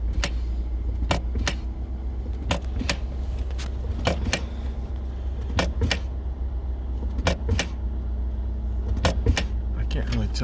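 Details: 2011 Ford Escape shift interlock that sticks in Park mostly on cold mornings: sharp paired clicks every second or two as helper presses and releases brake; solenoid engaging and dropping out, something found on back of it possibly sticking.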